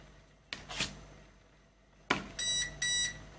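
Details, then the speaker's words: DIY Arduino RFID lock for an AC EV charging station: a couple of clicks from the card, then two short high beeps, meaning the card was swiped too fast and the reader failed to read it. "beeps twice that means was too slow on reading"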